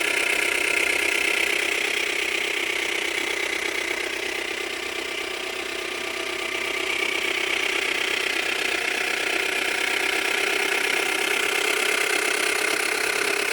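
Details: Subaru Tribeca B9 EZ30 with oil level normal: fast light tapping, about four a second, over idle; started cold, stays when warm, grows with rpm, sometimes clicks and vanishes then returns; owner suspects the tensioners, unconfirmed.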